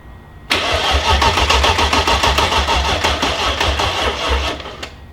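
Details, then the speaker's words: M60 V8 swapped into a BMW E30, first turnover after wiring, fuel pump fuse pulled to prime oil: steady, even starter cranking around three and a half beats per second, no firing; engine turns over freely. "It turned over though. Dude, that's gonna start, man. It turned over super happy. Yeah, sounds good."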